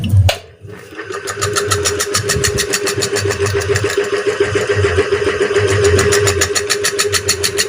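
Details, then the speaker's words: Ceiling fan is silent when spun by hand but knocks and clacks about three times a second and shakes on line power. Coil, 6202/6201 bearings and capacitor tested fine, but the bearings sit loose with no housing grip; worn motor shaft. "হচ্ছে আওয়াজ হচ্ছে কটকট কট কট করে আওয়াজ হচ্ছে কাঁপছে"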